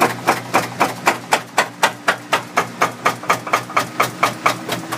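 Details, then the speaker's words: Three-year-old Samsung front-load washer in self-test spin, top off, slowly ramping up: sharp hard knocks about four a second inside the outer drum over motor hum; balance sensor cuts spin: broken drum support spider. "So it'll never get up to high-speed spin because it goes out of balance because the drum support spider on the inner basket is broken, causing the basket to slop around as it gets moving."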